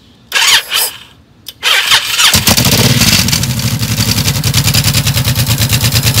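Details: 2006 Honda VTX1800, noisy since dealer work: after a normal startup, the idle lopes evenly with a light tick on each pulse. Top-end ticking that seems to come from the front cylinder; the dealer blamed exhaust gaskets. Unconfirmed.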